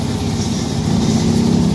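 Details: Yamaha Mio carburetor scooter after fixing bogging, the fault traced to the intake hose: short burst of steady, smooth engine drone holding even speed without stumbling; runs properly.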